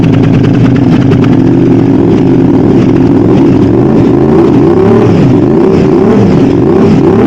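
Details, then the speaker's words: Aprilia RS660 with new exhaust and mods, first start after refilling the cooling system and fitting a new oil filter, before its bespoke map: loud, even, deep exhaust burble with small throttle blips, no knocks or rattles; normal idle. "okay well in my opinion that sounds pretty good"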